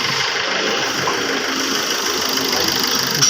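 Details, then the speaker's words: Maruti Swift diesel after gearbox repair with new parts, checked on test drive: even idle with usual light diesel clatter, no knocks or grinding; gearbox noise gone, car fine. "इसको आवाज नहीं ए रही है नमक गाड़ी बिल्कुल ठीक है"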